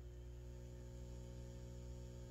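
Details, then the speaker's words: Peavey VB-2 all-tube bass amp with valves recently replaced. A steady buzzy hum comes through with the master volume at 5 and disappears at 0 and 10. It is explained as high-impedance coupling pickup at mid-travel and called normal; filter capacitor replacement was also done. "now the master volume all the way up at 10. see how that buzzing goes away and then it goes away at zero there's an interesting reason why that is happening"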